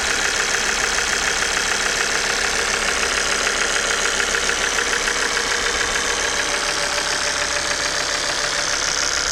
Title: bruit moteur claquement ! pompe à huile hs ! engine oil pump noise out of order !